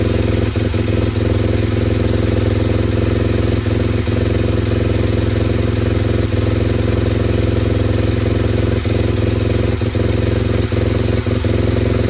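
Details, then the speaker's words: SWM RS125R single-cylinder 125 at 9,564 miles, running at fast idle just after top-end rebuild (valves, timing), no coolant pipes connected: even beat with faint light jingle, black smoke burning off assembly oil; healthy running. "That's running. A bit of a jingle, but the wall comes spinning [Music] out."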